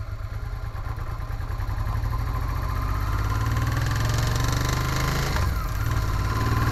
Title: Africa Twin, Knocking Sound